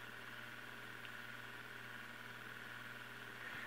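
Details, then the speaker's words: 1940s Westinghouse Mobilaire pedestal fan motor after repair (new run capacitor, head wire, grounded line cord) running on high at 115 volts: low steady hum with faint airy hiss, quiet with no knocking or rubbing; runs smoothly. "some of that's motor noise it's not completely perpendicular it's leaning back a little so not the best either but it's it's really quiet actually for the age of this motor"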